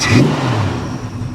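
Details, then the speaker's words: Warm idle and brief rev of a 1973 Plymouth Valiant Scamp, flood-salvage car, full tank, cooling system warmed up, belts staying on: smooth rev settles back to a clean, even exhaust note with no ticks or knocks; healthy before a long drive. "she sounds good i think we're ready guys"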